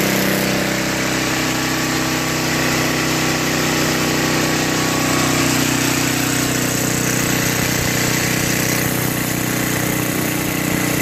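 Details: Brute 24-inch snow blower, 5 HP Tecumseh, which bogged and stalled under load, after carburetor cleaning, new fuel line and added fuel filter: steady buzzy drone at constant fast speed with no surging or stalling; running healthy.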